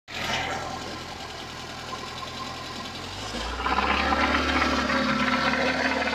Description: Звуки в двигателе УЗАМ 412 ДЭ до ремонта. Именно они послужили причиной вскрытия двигателя. Обнаружили разбитые шатунные вкладыши, изношенные поршневые кольца, осевой люфт КВ, водяную помпу на грани клина.